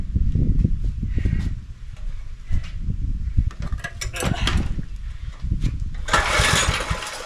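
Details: John Deere tiller with a swapped-in engine and a previously zip-tied governor, plug wet with fuel, choke being adjusted; engine surges and sags irregularly, hunting for speed; lack of air suspected, not confirmed.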